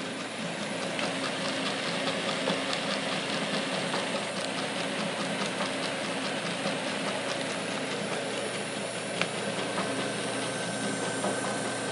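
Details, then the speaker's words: Very old 8-inch belt-driven barrel fan: steady roar with soft uneven thump about twice a second from a flat spot where the belt sat on the pulley, fading as belt warms; worn blower bearings also lightly rattle. "that rhythmatic thumping kind of goes away once the belt warms up but the the bearings on this blower are a little bit worn it's got a little bit of play and you can hear it lightly rattling especially once it warms up more you can hear it a little bit but mostly all you're hearing is this thumping from the belt here"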